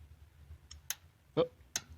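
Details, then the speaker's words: 2006 Honda Odyssey with a P2646 fault and VCM cylinder-deactivation issue, engine off: the scan tool commands the VTEC solenoid, giving a few sharp, crisp clicks; the PCM command and wiring work, so the normal solenoid click is confirmed. "Is I can command through here, goes to the PCM and commands it to come on, which is a sign that everything's working fine."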